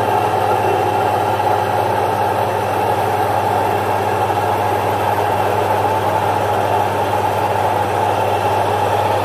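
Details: Single-phase 1 HP domestic stone-type atta chakki (flour mill) grinding jowar: smooth constant motor hum with steady grinding rush, no knocks, surges or squeals; normal grinding.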